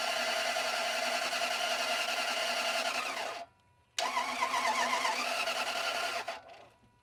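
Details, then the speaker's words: Toyota Land Cruiser that suddenly died while driving after a few days of ticking, mechanic reported no compression; with a battery fitted, starter cranks at a steady rapid beat, stops, cranks again, never catches; suspected broken timing belt now doubted since it sounds like it's turning. "Did you hear it sound like it was doing things? I thought this thing had a broken timing belt. And if it sounds like it's doing things, it might not have a broken timing belt."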